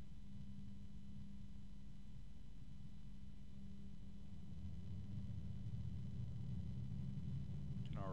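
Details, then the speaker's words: Noctua PC fan run for comparison with a Gelid Stella Infinity 120 PWM ARGB fan. Steady airflow rumble and even hum with no bearing ticking, unlike the Stella, though it is noticeably louder; healthy fan. "hear the noctua it doesn't have the ticking sound from the bearings that the Stella does but it's definitely louder"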